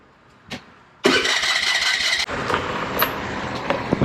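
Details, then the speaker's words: Honda Navi, thought to be a 2017 model, unused over a year, battery alive and fuel present: a click then about a second of whirring starter cranking, engine never catches or fires; no-start, bike taken to mechanic. "It's not starting. So let's take it out and take it to our mech."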